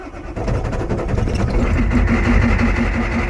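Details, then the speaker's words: 1988 Ford F-250 6.9 IDI diesel after fixing a poor positive terminal-block connection, glow plugs cycled: brief crank, then a low, lumpy rumble with a steady popping rhythm at fast idle; normal easy start. "You got to love the old IDI rumbling. It's popping along like that. That's that fast idle fit."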